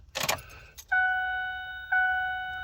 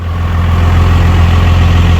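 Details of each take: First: 5.9 Cummins at 12 °F, coolant 14 °F, no block heater or grid heater, two 5-year-old batteries, anti-gel fuel, no throttle: chime then slow heavy cranking about 3.5 beats a second, not catching; cold hard start. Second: Cold start of a Cummins 5.9 diesel at 12°F (coolant 14°F), two-battery system, anti-gel fuel, no block heater or grid heater, no throttle; cranked about 8 times with a jump, now a deep, steady rumble with no misfire: normal cold idle.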